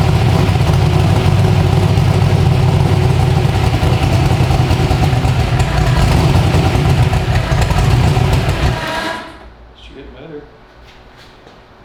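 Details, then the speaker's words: 372 small-block Chevy V8 in an original S10, on an LS tune file with timing added, heard from outside the truck; a deep, steady lope at about four beats per second, firing evenly until shut off. Normal idle. "do you want to hear it from the outside that sounds really good out here"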